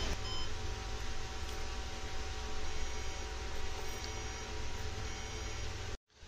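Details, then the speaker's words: Desktop PC powered on with the RAM removed to test a fan that keeps restarting; a steady fan whoosh runs under faint, repeating high-pitched beeps from the motherboard: no-memory POST beep alarm. "तो दोस्तों, जैसा कि आप यहां देखेंगे, यह पंखा लगातार चलने लगा है और इसमें से बीप की आवाज भी आ रही है। तो, यह आवाज क्यों आ रही है? क्योंकि मैंने रैम निकाल दी है और अब यह समझ में आ गया है कि समस्या वास्तव में रैम से संबंधित है।"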